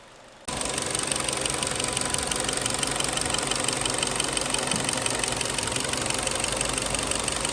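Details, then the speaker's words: 2011 Kia Cerato, G4KD engine, 211k mileage, owner complained of knock when cold and a clatter on throttle on/off; at idle it fires up and runs steady and very smooth, only light regular valve-train ticking, no knock: normal idle. "классно работает очень мягко"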